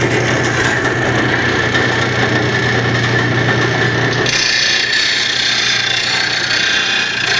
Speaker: still grinding with the wheel like this it's still trying to pull it in which is kind of making it hard to get it even grind across here